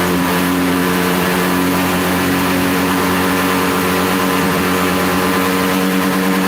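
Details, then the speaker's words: Buddy 125 or Chinese 125 scooter idling after carburetor cleaning or rebuild, with a weak battery needing a new one: even, buzzy single-cylinder idle with a steady pitch and no hunting; normal idle. "so all right i like the auto right there it sounds good it's a good idle"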